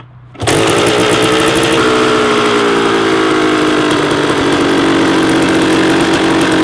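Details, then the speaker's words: Rebuilt 1994 Kawasaki KX250 two-stroke during first-start heat cycles: high, buzzing idle that barely drops after start-up; idle was set too high and was lowered. "we had the light a little too high that's why i had right now i had to lower as soon as i started i heard it i was way too high so we lowered that a little bit better"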